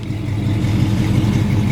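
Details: 1968 Chevrolet Impala, 383 stroker V8 with cam, rebuilt Turbo 350: deep strong rumble with slightly lumpy cam beat picking up cleanly on throttle; healthy rev, good power.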